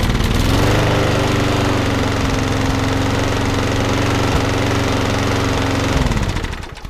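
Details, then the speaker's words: Briggs & Stratton 3.5 lawnmower after about 5–10 minutes of running: a steady single-cylinder putter, even and strong with no misses or surging, then shutdown. It was smoky at first, now healthy and good to go. "runs fantastic. Why? So that one's all good to go."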